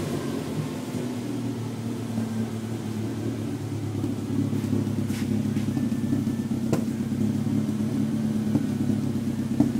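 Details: Toyota 3S-GE Beams engine: low, lumpy running with an uneven beat as it idles and picks up revs; misfire, one cylinder not firing cleanly.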